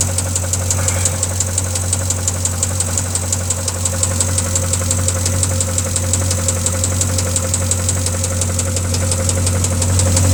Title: Engine knock